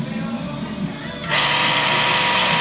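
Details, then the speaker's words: Hoshizaki KM630MRE ice machine, 2009, R22: a loud, harsh, steady hiss-and-grind starts as the water pump runs, from worn pump bearings. The tech checks that the evaporator plates haven't separated before replacing the pump. "definitely the bearing have worn out"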